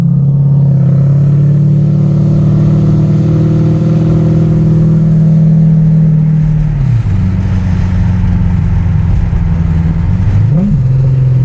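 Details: Toyota Soarer 1UZ-FE 4.0-litre V8 after an X-pipe and louvered-core resonators were added: a deep, smooth burble, then a quick rev rising and falling cleanly. It pulls well in the upper revs and the drone is gone. Normal exhaust.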